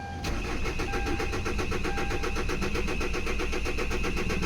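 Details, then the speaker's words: Kia Sorento D4CB diesel hard start: even starter churn at about four compression pulses a second, never catching or picking up speed; cranks but won't fire. "so Ayan po mga kalbaryo kita naman ninyo na hindi talaga umaandar ang makina"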